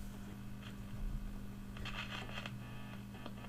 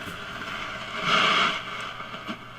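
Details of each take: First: 1953 Vidor CN426 Henley AC/battery valve portable radio after a faulty valve socket was fixed and a 3V4 valve replaced: steady low speaker hum with faint crackle and hiss, no station received; cause not confirmed, local oscillator to be checked. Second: 1953 Vidor CN426 suitcase AC/battery portable radio, tested after repairs (a valve changed, a valve base and a wire repaired), generator removed and antenna fitted: even hiss that swells then settles, with no hum, crackle or dropouts; normal receiver noise.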